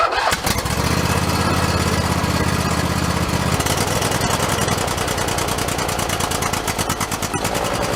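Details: Husqvarna YTH2454 mower, 24 hp Intek V-twin, starting after carburetor rebuild with a kit: fires up and settles into a smooth even idle, no sputter or surging; runs right, earlier trouble suspected as running out of gas.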